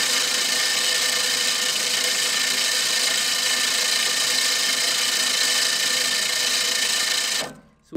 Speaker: And over time you'll slowly hear that nasty sounds start to disappear quite a bit, and that's when you know your paste has done its job.